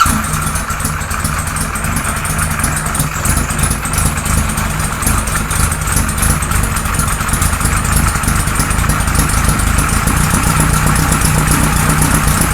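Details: 1978 Kawasaki Z1-R four-cylinder with replacement carbs fitted (ran well on the other carbs): uneven, lumpy, stumbling idle with no crisp rhythm; can't get enough vacuum to balance the carbs, running rich from oversized jets.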